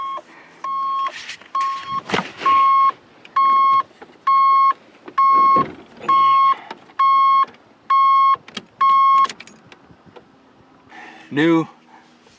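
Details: Square-body 3/4-ton Suburban project truck in a quiet garage: loud single-pitch beeps at roughly one per second, ten in a row, from an old aftermarket alarm that keeps going off.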